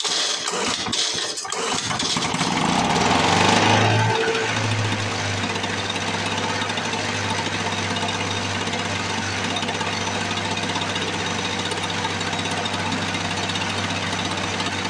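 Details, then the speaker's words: 1978 Lawn-Boy commercial two-stroke mower, long stored, first start after priming with fuel petcock open; rough sputtering catch then strong, steady, crisp buzz at even speed without misses; runs healthy. "if that don't sound beastly"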